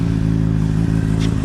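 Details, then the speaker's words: Honda CBR600RR running after a decat mid-pipe was fitted, ready for a dyno tune. A steady, even inline-four drone with no clatter; the awful clattering heard before is gone. Normal running. "it was like basically around here it was an awful awful clattering noise and it kind of scared me a bit but perfect absolutely perfect"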